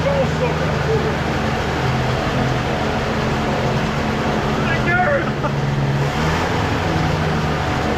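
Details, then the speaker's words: Microlight two-stroke engine with three-bladed prop, braked, in neutral: even steady hum, constant low tone, no popping or hunting; running smoothly and surprisingly quietly. "that's nice sounds good as well those smells"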